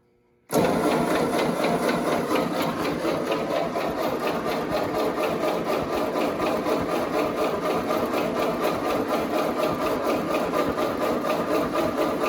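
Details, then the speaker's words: Ford 8N tractor after oil change (6 quarts Napa 30 weight, Napa Gold filter), cranked with key off in neutral to fill the filter canister and build oil pressure: steady fast cranking rhythm, no firing, even churn. "Make sure that thing's filled up. So make sure you have pressure throughout the system so you don't run it dry."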